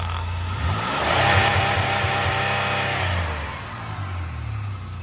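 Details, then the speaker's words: 2004 Buick LeSabre after repairs that cured chugging and hill-climbing trouble, check engine light off, idle higher than before; it revs smoothly and settles evenly with no stumble. "Oh yeah, that sounds way more healthy. Way more healthy."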